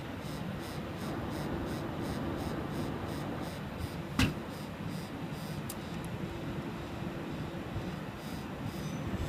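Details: Sapphire Tri-X R9 290 OC graphics card: steady fan whoosh with a fine rhythmic rattle about three times a second at specific rpms, from improper shroud-to-heatsink clearance letting the fan blades grate against the heatsink fins.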